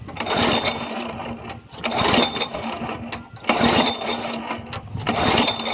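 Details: Yard Machine 22-inch push mower, Briggs & Stratton 4.5 hp engine (2007), primed after cleaning. About three pull-cord cranks in six seconds, each a brief rough chuff that never catches; has compression. Spark plug found soaked; owner suspects water from tipping, possibly too much oil.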